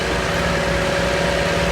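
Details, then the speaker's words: Salvage vehicle from auction, over 200k on the dash, check engine light on: even, steady idle with no knocks, misses or surging, smooth as a sewing machine; a healthy idle. "It sounds like it really does sound like a sewing machine."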